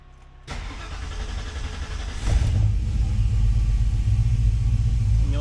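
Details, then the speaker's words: 1966 Mustang on FiTech EFI after four to five years, primed then started; uneven stumbling idle with flat, lopsided beat and heavy shaking, misfire as back-corner cylinder gets little or no fuel due to intake design. "notice that the car is shaking pretty bad so I've been chasing this Miss and you'll actually hear how flat it [Music] sounds"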